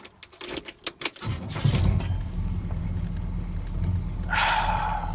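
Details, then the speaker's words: Bagged 1965 Cadillac that blew up on a cruise and was previously hard to start, now repaired: keys rattle, engine catches within a second and settles into a steady, even idle. Quick start and steady idle. "listen to that listen to that that's beautiful now that's one more time I'm just I'm so happy with that right there"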